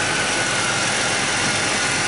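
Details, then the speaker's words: Ford Taurus after lower intake, timing cover and oil pan gasket replacement, new plugs and wires, during coolant flush: steady smooth idle, no knocks or ticks, light hiss; smoke from spilled oil. "As you can hear, it's running nice and smooth. It's smoking because I spilled a little bit of oil down there."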